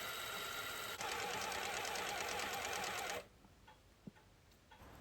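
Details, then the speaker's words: Norton Nemesis 1500cc fuel-injected V8 prototype during rebuild, first turnover on starter with small battery: even, quick cranking ticks about three and a half per second for three seconds, then stop; engine turning over nicely. "Back in the garage, and with the engine turning over nicely, I now need to concentrate on making an oil separator and breather for the rear cylinder head bank."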